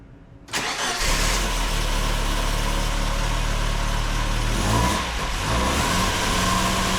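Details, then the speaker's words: 1972 Saab Sonett III first start after its clutch and pressure plate were upgraded, engine and transmission reassembled, coolant refilled and air filter refitted: quick catch, then a smooth, steady idle with an even low hum, no knocks or misfires. "now it's time to start it up bed the in system make any tweaks we need and see if it goes into gear"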